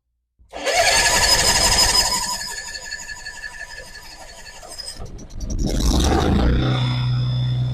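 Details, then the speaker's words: Kohler marine genset on a boat, test run with the shield off right after a spark plug change. It cranks and catches, runs slightly ragged, then gives a sharp pop. A slight misfire and backfire on startup. "Running pretty smoothly. It had a little mist in it, a little backfire as well."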